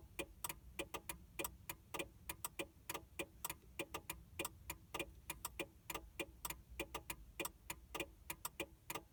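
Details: 2000 Mercury Cougar after battery replacement, won't crank: rapid sharp relay clicks in uneven bursts, about forty a minute; PATS immobilizer fault, fixed by putting a new battery in the key fob and locking and unlocking.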